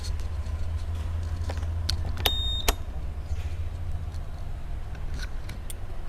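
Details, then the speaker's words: New Honda Vario 125 scooter, odometer 0 km, not yet delivered, CVT noise check: low even drone with a few light clicks; normal CVT belt-drive noise for a new bike. "Kita dengerin suaranya nih kalau dari CVT nya ya segini normal teman-teman"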